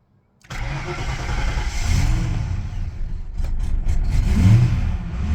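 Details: Ford NL Fairlane V8 start and revs: faint tone climbing and falling with engine speed under the rumble; idle possibly needs raising, source of the whine unclear.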